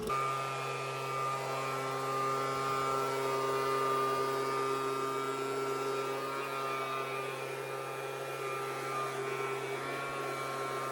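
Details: Small two-stroke engine (Ryobi) that ran badly, tested after main jet work; holds a steady, even buzz at constant speed without surging or stumbling, running properly.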